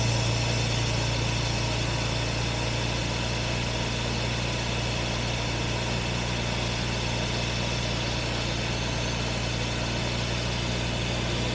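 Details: 1967 Jaguar Mark 2 idling during an alternator charging test (13.7 V loaded, 13.75 V unloaded, normal): steady, even idle with a smooth low hum, no knocks or misses; healthy.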